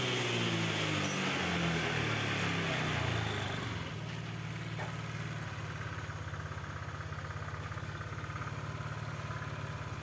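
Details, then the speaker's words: Honda Vario 125 injection scooter that would hardly start and stalled at idle, after replacing a wrongly fitted carburettor-type spark plug: it now settles into a steady, even idle with a soft regular putter and no stumbling. "sip Ini motor sudah jalan ya teman-teman akan lebih maksimal lagi kalau ee direset ya isunnya direset"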